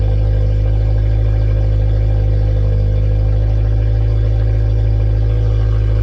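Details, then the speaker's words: K20-swapped Honda EF sedan running on its own after injector fault fixed, checking alternator charging: loud, deep exhaust drone at steady idle, no misfire or stumble; normal idle. "all right guys so we're going to wrap it up for this video the EF sedan finally turns on under its own power"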